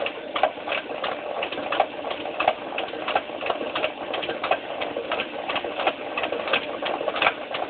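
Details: Washing machine mid-cycle: a steady squeak-tick about 88 times a minute, repeating through the cycle; a rhythmic squeak, cause not yet found.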